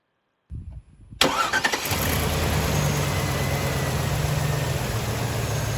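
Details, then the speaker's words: 2003 Chevy Trailblazer 5.3L V8 after power steering pump replacement: cranks, catches quickly and settles into a smooth, steady idle with no pump whine; normal idle. "this thing is as quiet as can be wheel turns nothing and when I accelerate only thing you hear is the engine"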